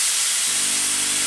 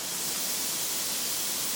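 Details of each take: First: Steady, even hiss of steam, then a low pump hum as the pump primes water into the pressure vessel, on a Braun steam generator iron unused for about ten years and suspected limescale-blocked; it now works normally. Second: Braun steam generator iron, roughly 10 years little-used, descaler added, very hot: steady strong hiss building as pressure vents, steam forcing out limescale blocking the generator; lots of scale discharged.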